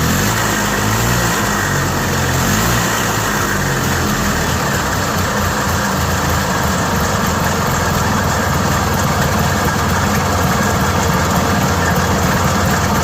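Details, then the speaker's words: Yamaha G1 golf cart engine started after repair work, now sounding much better than before: steady, even idle with a smooth low beat, no knocks or misses. Normal running. "I promise you that sounds a lot better than it did and it worked."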